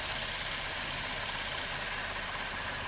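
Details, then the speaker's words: 2012–2016 Impala 3.6 LFX about 10 months after intake valve carbon cleaning and direct injector replacement done for a bad misfire: quiet, even idle with no stumble; smooth, zero misfires. "I showed in the last clip I was driving during a, I wouldn't have called it a snowstorm, but a pretty good snow event, and 0 misfires. You can hear it now. Smooth as butter."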